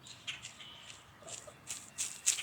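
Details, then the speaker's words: Cub Cadet 1015 32-inch mower deck double pulley bearing, removed and turned by hand: uneven, gritty scratching instead of a smooth spin; second failure in two years, being replaced. "Maybe you can hear that. Doesn't sound too good, but the other one, it's actually in pieces now."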